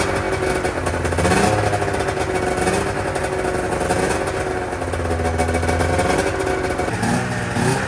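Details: 1997 Arctic Cat ZR 440 two-stroke after fresh top-end rebuild with new V4 reeds, new coil, plug caps, coolant topped up: crisp buzz rising and falling with throttle, clean and even, no misfire or knock; running healthy.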